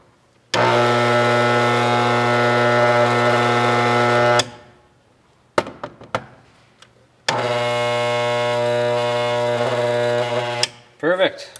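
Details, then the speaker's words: Armature from a 1932 Ford Model B rebuild on a growler with a thin steel strip, after continuity check between shaft and commutator bars: two steady electric hums, no rattling or buzzing of the strip; no short. "all good yeah know what they poor this whole thing will start shaking it creates like a magnetic field of sorts and uh but no this one should be good to go"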